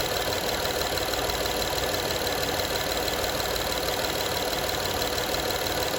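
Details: Honda Odyssey 2012 at steady idle: a fast, uneven metallic rattle, roughly three taps a second, over the engine hum; owner asks what needs fixing, source of the engine rattle unclear.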